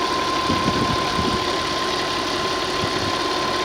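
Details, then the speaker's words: 2003 Audi Allroad Quattro 2.7L twin-turbo V6, automatic AWD, warm after about 20–30 minutes running: smooth steady engine with no ticking, knocking or whine, transmission shifts okay; normal running despite eight stored codes (P0340, P0501, P0103, P0172, P0175, P0491, P0492, P0011). "sounds like it runs okay it is pretty smooth the transmission seems like your shifts okay"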